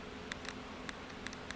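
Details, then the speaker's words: 2004 Chevy Impala purge valve on the bench, 12 volts applied, held right next to the microphone while air is blown through: sharp light clicks as it opens and lets air through; off power it stays closed, working as it should. "So now when it's activated, I'm going to keep blowing into it. The clicking that we hear is this thing opening and letting air through."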